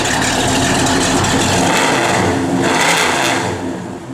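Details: 1971 Chevrolet Chevelle SS, 383ci small block with Comp 270 cam, Holley 4bbl, headers, Flowmaster dual exhaust: strong, even V8 rumble climbs and falls cleanly on throttle blips, no knocks or misses; normal free revving.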